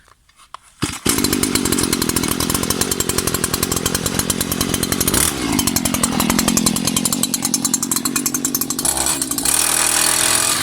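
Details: New Stihl FS 94 RC string trimmer first start-up, choke on, a few pulls; two-stroke catches and buzzes steadily, rising and falling cleanly with throttle: normal running.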